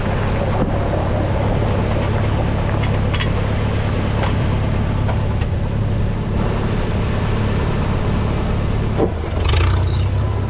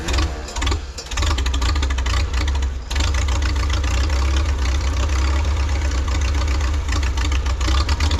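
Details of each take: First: 1952 Farmall Super C tractor after distributor work (rotor prong bent up; owner unsure if stuck mechanical advance caused the miss): steady, even four-cylinder rumble with constant beat, no misses or stumbles, running smoothly. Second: 1952 Farmall Super C tractor after fuel system repairs (sediment bowl, fuel line, carburetor), compression equal on all four cylinders: starts easily and idles okay but lumpy note dips and falters, stumbling on acceleration; owner suspects ignition timing or spark.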